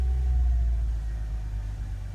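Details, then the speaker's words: Mercedes-Benz C240 after fuel pump replacement fixed a crank-no-start, first start; smooth even low rumble, revs holding steady, no knocks or misses; normal idle. "Huh. I knew I would get it. RPMs are good. Holding steady."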